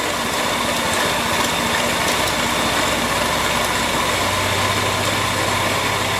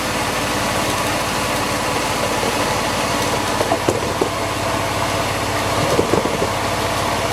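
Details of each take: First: Porsche 911 (996) Carrera 4S, idling, with a stethoscope on the belt drive: a constant dry whirring over the engine note that follows belt speed, with vibration felt by hand at the tensioner pulley. Worn belt tensioner pulley bearing. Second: Porsche 911 (996) Carrera 4S after pulleys were swapped with parts borrowed from a 986 Boxster: the idle is slightly uneven because the MAP sensor and throttle body are off, but it is quieter, with no squeal or bearing growl. Normal belt drive.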